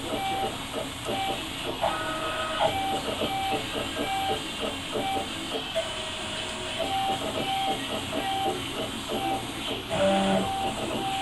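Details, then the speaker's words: Stepper motors on a 48" x 20" 4-axis CNC router give short repeated buzzing tones as the axes move, from feed control that still needs tuning. "that little buzzing right there is just a little bit of feed control I'll have to tune it in"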